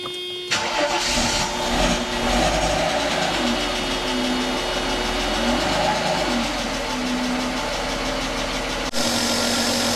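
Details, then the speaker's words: Mercedes AMG coupe first start since 2009 after sitting for years: initially a loud lifter tick, which disappears once oil circulates through the passages; now steady, even idle with quiet valvetrain. "lifter is a little bit loud, [Music] but it's alive."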